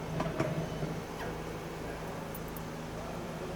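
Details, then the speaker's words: Ford 6.7 Powerstroke (2011–16 F250/F350) with a new Fleece PowerFlow frame-mounted lift pump, key on. A faint, steady low hum holds evenly with air moving; pump running and priming normally. "Oh yeah. I'm hearing air moving now."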